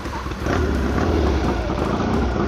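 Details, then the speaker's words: 1956 Triumph desert sled with a rebuilt late-1972 Triumph 650 head, new valves and guides, after breaking push rods: just started first kick on a rainy day, pumping oil. A short, even twin idle with a quiet top end; never ran this quiet. "Tell you what, this bike has never run this quiet."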